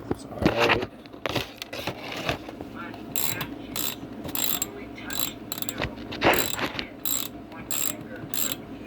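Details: Oleo-Mac 240 two-stroke chainsaw with a new carburetor, fuel in the tank and apparent compression, choke possibly not working: repeated pull-cord whirs and ratchet clicks with no firing; cranks but won't start, spark test pending.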